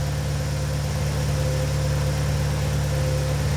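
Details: 2004-2006 BMW 116i E87, N45B16 1.6L race car, remapped ECU, special exhaust, oxygen sensor not yet hot: steady low idle, even beat, faint hum, no abnormality; normal cold-start idle.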